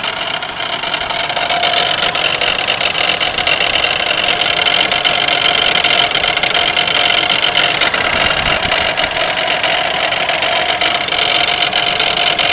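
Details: 1992 Pontiac Grand Am 3.3 at idle: a constant harsh, gritty grinding rattle from the front of the engine. Owner suspects the harmonic balancer, not certain.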